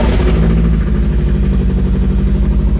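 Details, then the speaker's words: Mazda NA Miata with BP4W engine swap, first start after throttle cable adjustment: steady, even idle with no throttle applied and no stumbles; normal idle. "No throttle on it at all. This is it just idling. It's like perfect. It's idling 100%."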